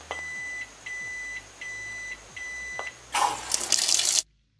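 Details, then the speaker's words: Sanyo ASW-82HT-4 washing machine with its micro-controller replaced by an Arduino: button held to set wash cycles gives five evenly spaced high beeps, then water rushes in. Normal cycle configuration. "I need to press this button for a while so that I can hear the number of beeps, so that the number of wash cycles can be configured from that."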